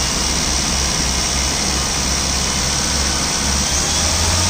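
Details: 2013-2014 Hyundai i20 Sportz petrol engine: steady idle with a loud, constant high-pitched hiss over the engine note; noisy, source not evident.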